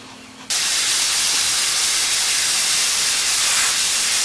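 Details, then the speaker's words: New Campbell Hausfeld 20-gallon twin-cylinder air compressor, pressurized: loud steady high hiss at a fitting, soap-and-water bubbles confirming the leak at the joint; air leak at fitting. "don't know if you can see those bubbles right in there that's because that soap and water are still there and it's leaking right there"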